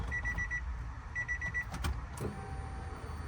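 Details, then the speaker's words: Honda Del Sol slow-to-prime fuel pump after replacement, key-on after chime beeps: steady electric hum holding even pitch; new pump priming strongly and properly, where the old one was quiet and sometimes needed throttle blips to start. "Yeah, cool. That sounds really good."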